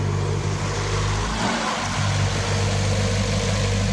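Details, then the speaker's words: 2013 Ford EcoSport 1.5 L petrol with limp mode after 15 km (codes P2135, P0122, P0222): wiggling connector wires raises rpm and triggers the malfunction light; steady raised idle dips then climbs; wiring fault suspected. "अभी देखो engine की speed एकदम ज्यादा हो गई"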